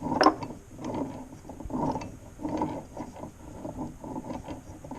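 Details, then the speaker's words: 1966 Bridgestone 60 Sport motorcycle engine, stored about 50 years, crankshaft turned slowly by hand during teardown: rough, gritty growl with uneven rattles each turn. Worn main bearings. "I mean, I've never heard anything like that before."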